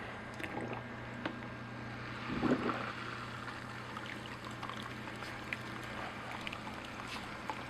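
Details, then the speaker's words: 500 gallon per hour pump aerating worm juice in a vermicompost bin through a venturi: low steady hum with bubbling and trickling water, air drawn in through the venturi; pump running normally with venturi aeration. "so the pump is picking up quite a bit of air from the venturi and it's just aerating everything much better than that an airstone because it doesn't get jams"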